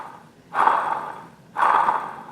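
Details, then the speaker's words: Old non-original water pump off a Pontiac 455 engine, spun by hand: gritty, rasping whir fading as it slows, a noisy bearing worn by grit from an unflushed cooling system; replaced with a new pump. "a little noisy for my tap and when you don't flush your water system and you got grit running through it you can hear that bearing"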